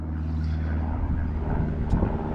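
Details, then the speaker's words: Yard Machines MTD 638RL riding mower; compression 95 cold; valves reopened from under 0.003 to just over 0.004; fuel filter changed; the engine started more easily and ran evenly, then firing turned ragged and it stalled again. "started right up it started easier and then it just died out again sounded better but it died out again"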